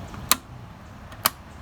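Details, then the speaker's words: Ryobi 40V brushless 20-inch push mower that won't start, key in, start switch pressed: two crisp sharp clicks about a second apart over quiet background; the start switch seems to work. "I got the key, as you see there, and here is the switch to start. So you listen closely and you may be able to hear a click."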